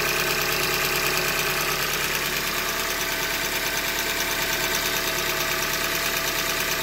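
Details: 2015 Hyundai Elantra Limited at 90K, idling: steady, fairly regular knock about three per second over the engine hum; bottom-end short block failure, a manufacturing defect, short block later replaced.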